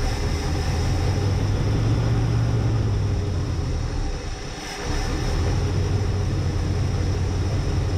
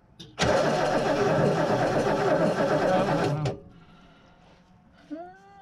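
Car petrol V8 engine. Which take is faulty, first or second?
second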